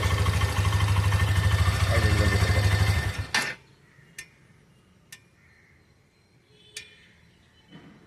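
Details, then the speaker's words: New Hero Xtreme 125 BS6 bike with sensors: engine runs evenly, is switched off, then sparse sharp ticks about a second apart from the silencer; this ticking after shutdown is normal. "பண்ணும்போது silencer அந்த core sound கண்டிப்பா கேக்குங்க tick டிக்குன்னு கேக்கும். ஓகேவா இது ப6க்காக ஹோட்டோ சென்சார்ல்லாம் வச்சிருக்காங்க. அதனால இந்த noise கண்டிப்பா இருக்கும்."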